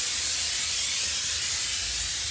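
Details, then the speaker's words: LMTV military truck pumping up air tanks: steady sharp hiss of escaping air, another leak at the reservoir. "well i got the tab tilted but you can see it's leaking again it's another leak"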